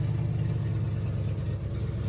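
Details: 1978 Ford F-250 4x4, 351M V8, 4-speed manual, rebuilt 2100 carburetor, parked 29 years, start after oil and filter change: deep, steady, even idle with no misses or knocks, healthy-sounding.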